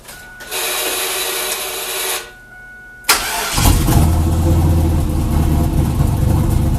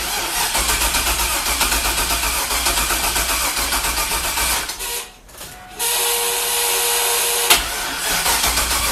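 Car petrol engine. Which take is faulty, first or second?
second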